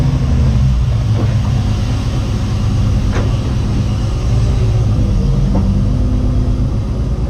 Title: Engine Misfire